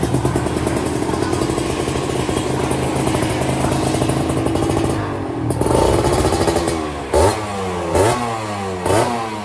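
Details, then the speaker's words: Kawasaki Ninja RR 150 two-stroke at routine service, test-started and revved: sharp throttle blips that fall back unevenly between them; carburettor needs readjusting. "Oke setelah sudah kita tes nyala Ternyata ada yang perlu kita lakukan sedikit penyesuaian yaitu penyetelan karbu ya guys"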